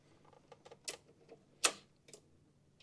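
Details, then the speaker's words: Kohler Command Pro CV742 fuel shutoff (afterfire) solenoid on a Toro Z Master, bench-tested by switching power on and off: sharp, clean clicks with no buzzing as it springs in and out; working properly. "On, off, on, off. This one is working exactly how it should. Each time it springs in and out."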